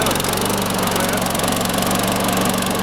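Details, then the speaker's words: Sears Craftsman 917.370610 self-propelled mower, cold start the next day before oil change (old oil milky): smooth, steady drone with regular firing, no stumbles or rattles; starts easier and runs healthy. "Let's first give this a cold start here, or a start the next day, and see how easy it starts. Let it warm up a bit before I drain this oil. Let's see if it starts much better now. There we go."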